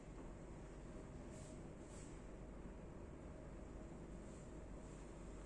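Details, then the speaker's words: ABCON motorized roller blind motor lowering the blind with a very quiet, smooth, even low hum, no clicks, grinding or jerks on stop and start; much quieter than a common market motor, healthy. "turun Hai halus banget ya Suaranya sangat beda dengan motor yang satunya"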